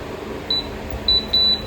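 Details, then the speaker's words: Havells BLDC ceiling fan with the fan stationary: short high-pitched beeps repeat about every half second, a controller fault signal. The advice is to check remote pairing first, then send it for repair. "तो दोस्तों ये हमारा बीएएलडीसी fan में beep sound का problem है दोस्तों।"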